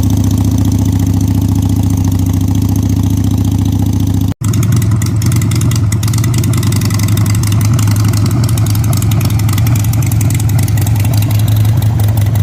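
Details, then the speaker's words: 2001 Harley-Davidson Sportster 883 with slip-on exhaust, cold start at about 30 degrees on choke: loud, lumpy V-twin idle with a deep uneven thump; exhaust too loud, owner suspects a vacuum leak. "so that's too loud for me I think it doesn't sound bad a lot of people probably listen to and be like hell yeah brother sounds great but a little too too loud for me"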